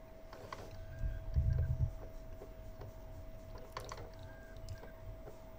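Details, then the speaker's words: PS4 optical drive with a disc inserted, mic held close: drive hums and briefly spins, then ticks and clicks irregularly as the faulty laser keeps trying to read; disc not read, laser needs replacing. "that clicking noise you just heard there that's how you know when your laser is faulty you'll yeah will carry on doing this it's trying to read"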